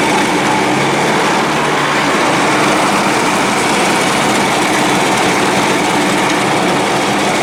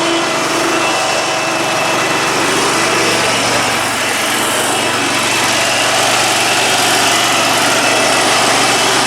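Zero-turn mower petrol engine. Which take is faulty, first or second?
first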